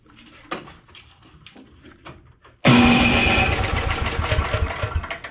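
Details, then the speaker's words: Briggs & Stratton 12 hp Intek OHV single-cylinder on a Simplicity snowblower, after fitting an unbroken spark plug and reattaching the rocker arm so the valves open: after some clatter it fires instantly and settles into a steady, even run with no misses; normal running. "well there you go friends a spark plug that Sparks and isn't broken in half and some valves that are open because the rocker arm is you know attached to the rest of the motor that's all it took"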